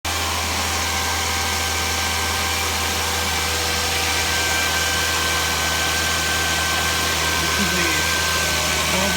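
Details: 2012 Volvo S60 T6 3.0L with 87,000 km at cold idle: an occasional loud, sharp click like a tap on hard plastic, apparently from the top or back of the engine; it stops once warm, and the dealer can't find the source.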